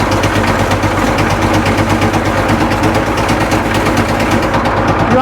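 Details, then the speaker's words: Caterpillar 977L track loader, scrap candidate, fed lots of ether to start: loud, uneven hammering with sharp gunshot-like cracks over rough running. It is backfiring while running on ether, though oil pressure is good. "want backfire man it just sounds like it's going to come apart"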